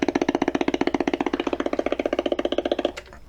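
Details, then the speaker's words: Sony Dream Machine ICF10W solid-state radio on FM: steady putt-putt pulsing about four times a second from the speaker, then it cuts off. Motorboating, most likely failing capacitors. "this noise they call it motor boating and it happened also to the tube radio as well majority of time the capacitors on it is going bad and they making those noise"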